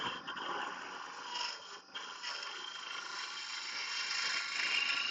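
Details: Woodturning a three-piece goblet on the lathe: hissing, scraping cut turning into a thin high screech as the tool loses its cutting edge, which comes from not pulling the tool out and around quickly enough through the cut.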